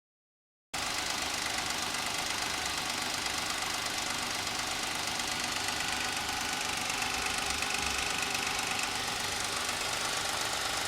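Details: Suzuki Escudo H25A engine: steady knock about three to four per second over the running engine; internal knock, source unknown, mechanics unsure and suggest disassembly.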